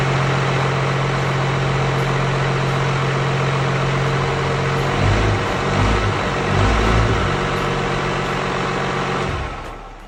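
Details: 12-valve Cummins swap with fuel-shutoff solenoid and relay wiring: starts, even steady diesel clatter for about nine seconds, then a clean wind-down when the key is switched off and fuel is cut.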